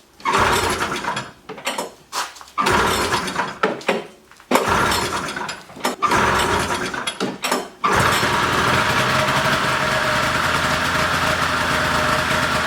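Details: Polaris snowmobile with the old 488 engine, after freeing the seized engine and cleaning the carbs, including a hidden jet: a few pulls on dry carbs, then it catches and settles into a steady, even, high-pitched idle with no stumbling.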